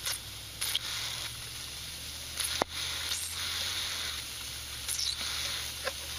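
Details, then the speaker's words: Daikin multi-port mini-split under a nitrogen pressure test of about 202 psi that keeps dropping: soap bubbles on a flare fitting give a hissing, crackling sizzle like frying bacon; refrigerant line leak at the fitting, later found to be a broken flare. "sounds like bacon siing but it's definitely definitely got a leak right there it's just blowing out"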